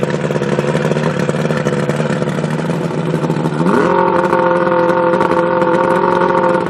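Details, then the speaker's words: Two-stroke outboard with carburetor problems, running on Seafoam-treated fuel mixed slightly rich, revved a few times in gear. A raspy idle buzz, then it revs cleanly and holds a higher steady pitch without bogging or cutting out. "so what I'm going to do is I'm just going to rev it I'm going to put it in gear and rev it a couple times in gear and I'm just going to let it run until it runs out of fuel"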